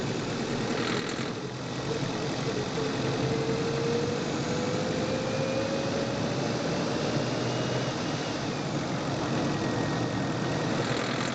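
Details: Manual-transmission petrol car on test drive, microphone in engine bay: engine pulls up through the revs with light, uneven knocking rattle when accelerating; suspected fuel knock, not confirmed.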